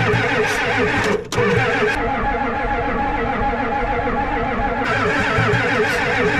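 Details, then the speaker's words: Ford 7.3 IDI diesel cranked with glow plugs off, throttle wide open and injection pump on: even, labored cranking that never catches, with no smoke from the exhaust. It cranks but won't start. "all right there's no Cho yet it should be choing yeah injection pumps on should be choing"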